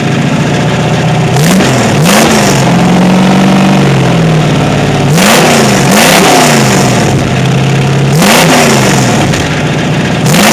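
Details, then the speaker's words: Bronco with 418ci 351W-based stroker, about 527 hp, DynoMax VT valved mufflers on 2.5-inch duals without crossover, revved above 1500 rpm: deep V8 blips booming loud, no valve rattle as at idle; loud exhaust drone when revving. "I'll step on it a few times so you can hear what they sound like when there's some RPMs 500 plus horse pushing you sound great"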